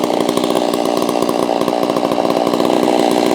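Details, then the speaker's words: Holzfforma G660 chainsaw, warmed up, during low-speed screw tuning after a top-end power loss: steady, fast buzzing two-stroke idle with no dips, set a little too high so the chain creeps forward at idle; idle speed too high, to be turned down. "See, now it seems like it's almost a little too high on the low end. See that, how the chain kind of goes a little bit? At idle, it shouldn't be grabbing it every once in a while and pulling it forward."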